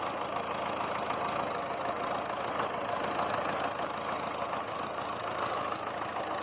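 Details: Land Rover Series 2a 88 2.25 diesel still warming up, blue smoke gone after removing overfilled oil: lumpy, uneven idle clatter with grey puffs; one injector suspected faulty, to be tested; some valves then found loose.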